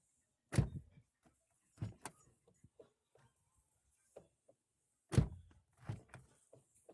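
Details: 2002 Fiat Palio door closing after the fix (plastic shim added at the door bushing): two solid slams, each a single clean thud with only faint handling clicks, no loose knock remaining.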